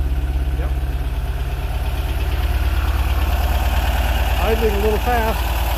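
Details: Porsche 914 air-cooled engine just after fitting an electronic magnetic-trigger ignition in the distributor: steady idle with even pulses sitting a touch high; fast idle, timing to be checked with a timing gun, cause not confirmed.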